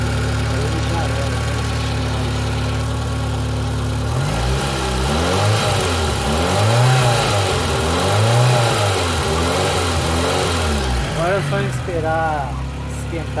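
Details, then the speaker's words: Fiat Palio 1997 8v after replacing noisy old water pump with new one: engine idles evenly and revs up and down smoothly with no whine or grinding; noise gone, normal running. "Mas acabou o barulho, é a bomba d'água. Bomba d'água velha."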